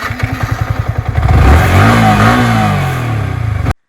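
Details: Yamaha R15 V3 motorcycle after cylinder kit replacement following oil running low: engine pulses evenly at idle, then revs up smoothly and settles, no ticking or knock; knocking problem solved.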